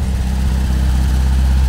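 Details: 1980 VW Kombi with 1600 air-cooled engine, first start after sitting 12 years in a school: deep, steady low rumble with an even beat and no knocks or misses; runs normally, though it still needs work to run smoother.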